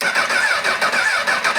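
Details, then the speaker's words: Honda CBR1000RR crashed bike, reportedly blown head gasket and no oil, fuel pump suspected: even starter cranking, about five pulses a second, spins freely but never fires; crank, no start, cause unknown. "well all right well there you have it everybody can't get it to fire up right now"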